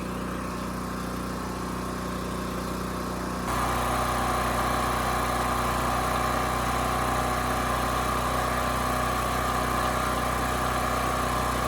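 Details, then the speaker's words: Champion 40026 generator, 3000 running watts, 120 V, carburetor cleaned and rusted tank replaced: steady hum firming as half load comes on, holding speed without hunting; about 125 V, 61.5 Hz no load, exactly 60 Hz at half load. "perfect 60 hertz at half load that's uh where it should be so this is good"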